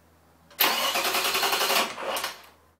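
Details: 1996 Ford Probe GT 2.5L V6, 145,000 miles, after new plugs, plug wires and other maintenance: about two seconds of rhythmic cranking with no start; plug wires were on the wrong distributor terminals because the manuals had wrong labels.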